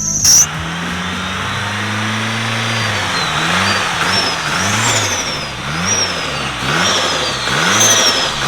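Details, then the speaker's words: Long-sitting, crusty car, power washed and given fresh fluids and plugs, still running badly. Revs surge up and fall back in uneven swells instead of holding steady; cause not yet found: rough running. "runs like [ __ ] makes me think of my 240."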